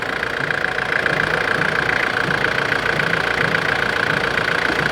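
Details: 1993 Nissan Terrano diesel with a hard-starting complaint, now running after repair; steady diesel clatter at an even idle, no stumbling or hunting, light healthy knock. Normal diesel idle.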